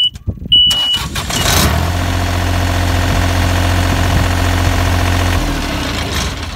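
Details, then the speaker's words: John Deere 997 Z-Trak diesel zero-turn mower that was shutting down after about 1.5 hours, after new blades and new battery fitted: short crank, catches at once, settles into steady, even diesel idle with no misses; starts and runs normally. "will start up and run just like it should on any given day so hopefully we've got everything taken care of on this mower"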